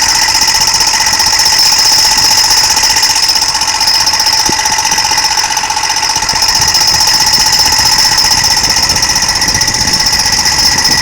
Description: It seems tobe the fan